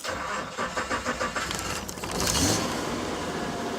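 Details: Truck's first start after two to three weeks off the road; it had been badly overheating from a failed thermostat that blew a hose and still leaks coolant. Starter cranks about six quick even beats, then it catches and settles into a smooth steady idle: clean start.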